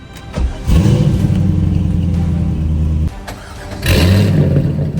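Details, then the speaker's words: C5 Corvette cranks briefly, catches at once, revs strongly and drops to a steady idle, AC off, exhaust valves open. It starts on its own again after a weak-battery voltage problem. "finally it starts on its own once again"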